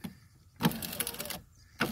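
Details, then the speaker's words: 2011 Buick Lucerne power window regulator grinding as the motor runs the window up and down; cable came loose and wrapped around itself, regulator being replaced. "you can hear the cable just grinding in there"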